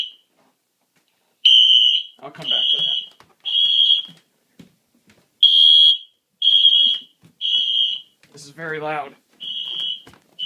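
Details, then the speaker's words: Fire alarm system in a new-system test, set off through a smoke monitor zone: loud, one-second horn blasts repeating with short gaps in a steady pattern; fire alarm in full alarm. "okay microphone's muted so come on you can do it there we go [Music] all right it's loud"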